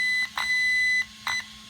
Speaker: now you'll hear one long beep following one short beat that's five plus one to make six